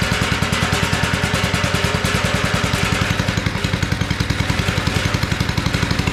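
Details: Abandoned tiller, first run on two-cycle gas while leaking fuel: a steady, fast beat with a dry clatter that holds revs only on choke, a sign of a clogged carburetor needing cleaning.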